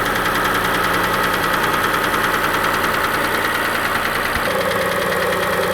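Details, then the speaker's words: Warm idle after the cold-start tick stops: uneven knocking at roughly three beats per second, a real internal knock of still unknown cause, recorded before trying Lucas oil stabilizer. "so when it cold starts it's got kind of a Ticky sound then that stops and then goes more of a knocky sound like we hear now"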